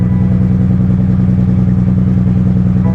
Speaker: The exhaust is cut off of the back, so obviously it's gonna sound pretty cool, but probably don't want to run it too long like that.